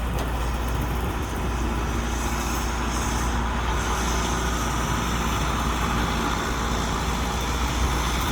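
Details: Allis Chalmers 6080 tractor diesel after an overhaul, mowing along trees with a mower deck. A deep, steady drone pulls hard with an even, unbroken note and no knocks or misses: normal running under load, with very little fuel used.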